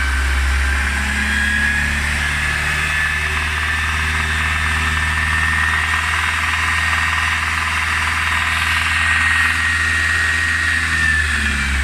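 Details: Mercedes-Benz C250 at idle: a faint, irregular ticking rides over the low hum. A strange engine noise whose cause is not pinned down.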